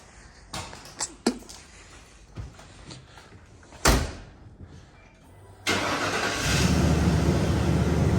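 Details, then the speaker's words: 1995 Ford F150 during a test of starting and stopping about 10 times in a row: clicks, a short crank, then it catches at once into a steady idle, starting normally. "I want you to hop in that truck and want you start it and turn it off about 10 times in a row and then let it run for a minute"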